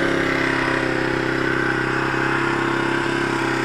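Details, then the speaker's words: Zontes Tiger 125cc Chinese motorcycle, bought as a non-runner, buzzes along steadily with a light rhythmic clatter after starting on low reserve fuel; engine running, but it won't switch off, wiring fault suspected. "it's running so i just need to further investigate what that wiring messes and why it won't turn off laters"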